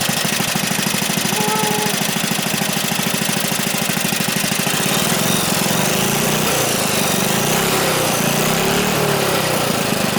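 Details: Small single-cylinder engine with bent rod, free engine, first run after gas added: quick fairly steady popping beat with rattly exhaust, running on its own.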